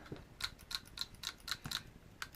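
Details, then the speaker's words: G&G/Army L85 airsoft gun converted with a Bingo HPA gearbox replacement kit and PolarStar Fusion engine, powered by an FCU and battery. On semi-auto, crisp, even clicks come three or four per second. The solenoid is cycling normally. "And we can test it out by hooking up an FCU and a battery here. And let's see if we can hear the gun activate. Alright, on semi-auto."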